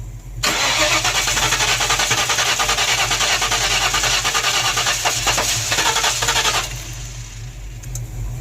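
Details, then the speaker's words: 1994 Mustang GT convertible being jump-started, with a new coil and the battery at 11.7–11.8 V. About six seconds of even cranking with no firing. It cranks but won't start, with extremely weak spark, suspected between the coil and distributor. "Still won't start. Still extremely weak spark. Try it again."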